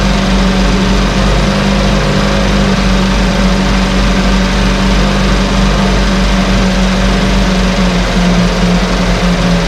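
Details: 1968 Evinrude Fastwin outboard, bought and only set in a test tank with no repairs, out of gear with no load: smooth, even idle burble at a steady pitch with no misses or coughs; no cold-start cough, Sea Foam in the fuel cleaning it out. Normal idle.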